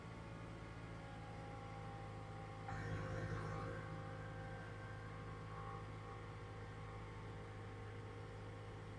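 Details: 2011 Toyota Camry after starter replacement: quiet steady low hum with brief swell near three seconds, then smooth even idle; fires easily, normal start.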